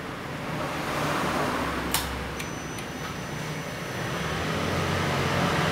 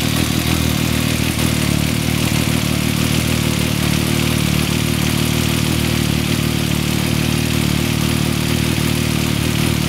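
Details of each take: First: 2014 Yamaha MT-09 at 28,000 km idles normally with a steady low rumble and no top-end rattle. The cam chain tensioner, noisy since about 6,000 km, is now held by a lightly set M6x25 bolt and nut. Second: 2014 Yamaha MT-09 triple idling at about 28,000 km with the cam chain tensioner deliberately loosened, giving a busy metallic chattering rattle over the engine beat; the noise first appeared around 6,000 km and was fixed with an M6x25 bolt lightly backing the tensioner.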